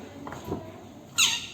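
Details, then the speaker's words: VW Saveiro (square body) front wheel: sharp, high squeak from the wheel bearing, believed caused by the bearing's rubber seal rubbing against the hub; the bearing was replaced on the bench. "desmontou o rolamento que tava ali fazendo aquele barulho esquisito e ainda falta tirar a capa aqui ó e eu acredito que tava fazendo aquele barulho porque tava pegando essa borracha aqui que faz parte do rolamento aqui ó no cubo"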